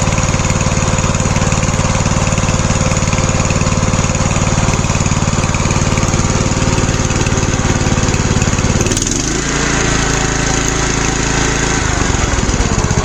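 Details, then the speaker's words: Troy-Bilt Bronco lawn tractor after new carburetor, exhaust fix and tune-up: steady single-cylinder chug that fires right up and settles into smooth idle with no misses or knocks; normal start and idle. "I already have the parking brake set and it should literally fire right up."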